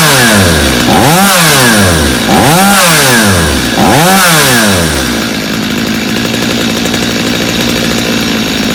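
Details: Stihl chainsaw, reassembled for a customer with a Bosch spark plug fitted, started on full choke: three quick clean blips to high revs, then steady even idle with no stumbling; runs well, idle slightly high, little carb adjustment needed.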